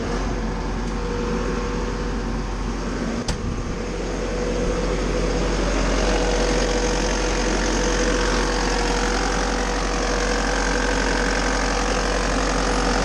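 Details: Bobcat T590 diesel fired up cold right after a water pump replacement and coolant refill, checking the seal for leaks: a loud, steady idle with an even low throb and no knocks, squeals or rattles. Normal idle, no leaks.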